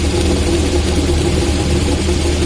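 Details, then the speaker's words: VAZ classic (2101-2107) rear axle, raised car running: steady low droning hum heard from one side, clearly felt with hand on axle housing, easily mistaken for differential hum; worn axle shaft bearing with broken cage. "что звук издается с этой стороны. Когда вот даже руку прилаживаешь к мосту, отчетливо слышно. Так что по-любому менять его на новый."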